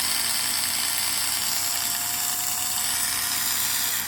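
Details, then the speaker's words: Parkside PAS 4 D7 budget cordless screwdriver, USB-C charged, running free: steady high-pitched gear whine with a faint odd edge, noise stranger than in reverse; cause unclear. "Lors d'un serrage normal, on entend un léger grincement, comme si l'appareil essayait de forcer un peu, mais on verra ce que ça donne à l'usage."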